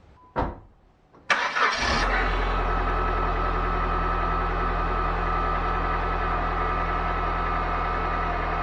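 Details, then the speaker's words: Turbo PT Cruiser during power steering flush and bleed: engine cranks and settles to idle with steady high whine from the pump, air foaming the fluid in the reservoir; cycle of resting and purging to remove air. "So you could hear it start to whine there, and that means that there's foam in the reservoir."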